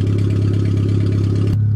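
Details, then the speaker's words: Suzuki Swift 1.3 after roll-over welding repairs, running on a makeshift fuel system: smooth, steady low idle with even beat, no knocks or rattles, then clean shutoff; healthy engine. "Well, I hear it running. Oh yeah, simple as that. It works perfect. This thing fired up great this year."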